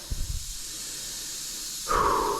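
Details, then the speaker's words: Honda GX120-powered gasoline air compressor running after restart; a few engine thumps then a sharp half-second hiss as the tank's blow-off safety valve releases pressure, valve confirmed working. "Got her going again. Yeah, the blow-off valve works."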